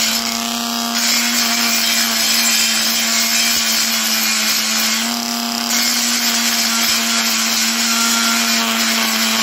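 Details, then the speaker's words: Parkside PGS 500 A1 die grinder, 500 W, 220 V brushed motor, grinding steel boxes at welded corners: steady high whine with constant gritty rasp, speed even. Normal grinding operation. "Maintenant, je broie des boîtes en acier dans le coin où elles sont soudées ..."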